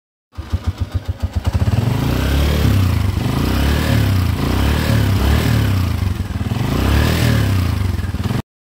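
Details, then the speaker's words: Honda TMX 125 Alpha single-cylinder motorcycle at idle and free revs: a dry mechanical clatter rides over the exhaust from a worn, noisy timing gear. "so napakinggan natin mga kabro yung andar nitong TMX 125 Alpha. Maingay na rin yung kanyang timing gear."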